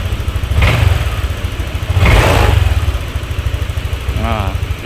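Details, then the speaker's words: Honda Vario 150 scooter after rusted, arcing spark plug cap was replaced: steady even single-cylinder beat, two clean throttle blips rising and settling without stumbling; no misfire, brebet cured. "Dan untuk gasnya juga enak, sudah nggak berbet lagi, dan ketika dihidupkan ya itu udah enak, jadi nggak kayak tadi itu susah ya."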